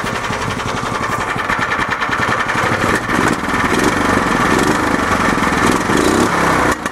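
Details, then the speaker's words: Club Car golf cart after engine swap, with governor bypass throttle plate and K&N cone filter, started cold: small single-cylinder engine idling around 1200 rpm with a quick, fairly even putter and crisp exhaust pops; exhaust rattles slightly. Normal idle. "There we go. Settles around 1200 or so. Exhaust does rattle a little bit, but that's all right."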